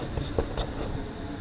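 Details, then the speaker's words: 1985 Chevy truck cranking: rough metallic clattering and grinding as the starter catches on damaged flexplate teeth; a wrong starter had been fitted, and a new flexplate is to be installed. "so we're going to be putting this truck on the lift to do the flex plate all right let's crank this up so you can hear how bad it is it's bad"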